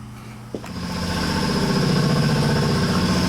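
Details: 2017 Husqvarna FX450 that wouldn't start, after fixing a failed relay: brief crank, then the engine catches and settles into a steady, even idle with no misses; running healthy.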